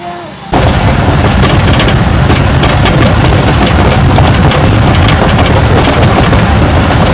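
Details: AWD 2016 Chrysler 300 V6, ~79,000 miles, mic clipped to front ABS sensor wire on road test: heavy irregular thumps and clunks over bumps amid road noise, worsening front-end clunk since 75,000 miles; loose front sway bar link knocking.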